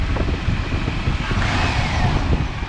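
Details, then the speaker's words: S15 hotrod with budget 5.3 LS idling steadily after throttle screw turned up several turns to fix dying and check engine light; even low idle pulse, no stumbling or hunting, good response. "so I didn't even think it's gonna run but running is pretty good response"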